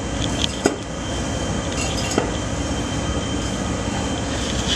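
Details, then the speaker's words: Old rear shock absorber from a 1994 Ford Ranger XLT 4x4 3.0, worked by hand: rough, gritty grinding with a thin high squeal, sounding like rust on rust; the shock appears warped and overextended. "I just want to see if I can make that sound again it just sounded like pure rust on Rust"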